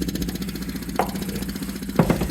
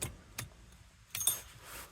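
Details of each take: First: 1974 Rolls-Royce Silver Shadow with carburetors and points ignition, non-starter: ignition on, fuel pump tapped with a hammer starts working, fast steady ticking over low buzz with louder clicks; electric fuel pump running after being freed. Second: 1974 Rolls-Royce Silver Shadow, carbureted with points ignition, after fuel system troubleshooting: faint scattered ticks with key on, then quiet as pressure builds; fuel pump primes and shuts off normally.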